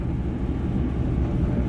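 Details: Kenmore dryer that wouldn't start, after checking thermal fuse, door switch and start switch: steady low tumbling rumble with even hum, no squeal, thump or scrape; dryer running great.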